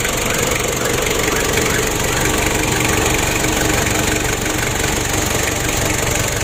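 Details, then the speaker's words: Ford Ranger diesel losing oil and unable to rev high, intake air hose removed: rough idle with hissing puff about three times a second over clatter; compression leak traced to incorrect valve clearance. "ini ada terdengar suara seperti kebocoran kompresi ini sudah kita atasi bahwa celah klep nya ada yang bermasalah"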